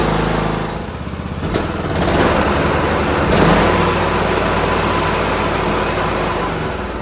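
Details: John Deere D105 lawn tractor Briggs engine after carburetor cleaning and hooking the spring back up: even, steady drone holding speed without surging, sounds way better, running smoothly.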